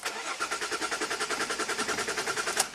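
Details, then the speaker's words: 2005 Jaguar S-Type V6 that sat three years, cranked with a fresh battery after clearing codes: starter spins at an even, quick beat of about ten pulses a second but never catches; crank no-start. "okay still crank no start and we'll do one more scan and see what what comes back"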